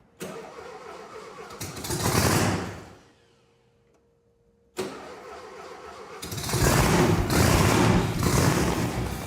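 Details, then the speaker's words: Supercharged (blower) Volkswagen engine in a custom dune buggy, after tapping carburetor to free a suspected stuck float: cranks briefly, starts cleanly into lumpy blower-whined idle with crisp revs, no backfiring; normal start. "Turn the key, and it starts. Just as it was advertised. I love the sound of Volkswagen engines."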